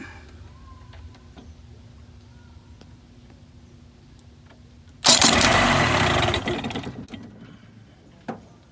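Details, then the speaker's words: 1980s Mercury 35 hp two-stroke outboard with a new starter that would not crank by key even after charging: jumping the terminals gives a spark snap, then a strong two-second whir; starter works, solenoid or a bad connection suspected. "Okay, so new starter in. Tried to start it, wouldn't work. Put a charge on it here. Still won't do it. Does the same thing. So we're gonna try to cross these points."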